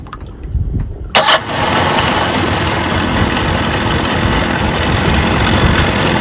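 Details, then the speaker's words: Mercury 25 hp two-stroke outboard just after starter replacement and battery cables re-secured, started from the driver's seat to run about 5 minutes; short crank catches at once, then steady even idle, no starter grinding. Normal start and idle. "My dad's in the driver's seat, and we are going to start the engine, let it run for about 5 minutes."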